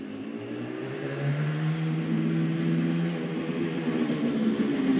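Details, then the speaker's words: Benelli 250 2C two-stroke twin returning from road run after restoration, clutch sticking earlier: crisp clean pull through revs with no misfire or rattle; engine runs lovely, tickover around 2 (thousand), needs more running in. "yeah yeah yeah yeah it the engine runs lovely um tick overs 2 I that um you know that's kind of normal right you know cuz it's not been run properly it definitely needs more ru"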